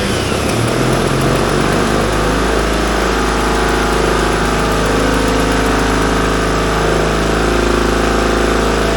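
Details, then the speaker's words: 1942 Caterpillar 212 motor grader, auction buy, after refitting the coolant sensor: engine catches and settles into a steady, even rumble with smooth firing beat, no knocking; healthy running diesel. "Oh, listen to that baby purr."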